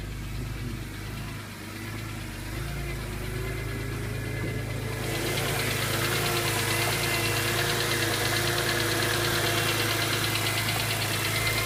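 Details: 2003 BMW E46 M3 S54, about 114k miles: steady sharp ticking about three a second, much louder at higher rpm; VANOS replaced, valves adjusted; dealer diagnosed worn cam follower damaging the cam, recommends replacing camshafts, followers, follower shafts.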